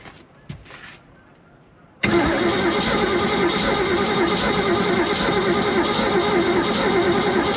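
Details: 1976 Glastron boat with 302 engine, sat 10+ years: starter spins steadily about three turns a second, never fires; stale gas smell, rough wiring, then found no voltage to the coil with key on.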